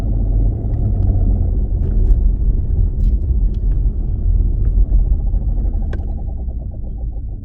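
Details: 2016 Dodge Challenger Scat Pack while driving: deep, steady low drone underneath with nothing sharp on top; bad driveshaft carrier bearing. Repair requires removing the exhaust and driveline to replace the bearing.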